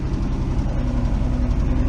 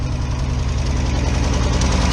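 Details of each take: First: 1971 Ford F350 crew cab six-cylinder, sat for years, first start: low steady idle with slight drone, even, no misses or knocks; quiet exhaust, idling normally. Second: 1971 Ford F350 crew cab, six-cylinder, long-sitting first start: a lumpy, uneven low idle with a loose knocking beat, running like it's barely hanging on; rough idle, close to stalling.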